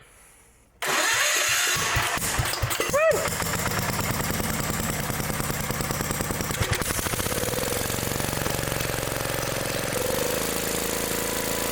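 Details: Old Gravely mower started on choke after an adjustment checked with a feeler gauge: cranks and catches within a second, then settles into a busy, slightly uneven small-engine chatter and keeps running.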